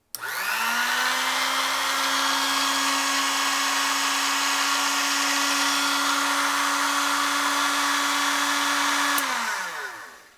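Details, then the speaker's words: Ilco Model 008 key cutting machine after fitting a brand-new motor belt, test-run with the guard off: the motor spins up quickly to a steady, even whir with no wobble or slapping, then winds down cleanly; normal running. "Sounds and runs smooth. There you have it, brand new belt."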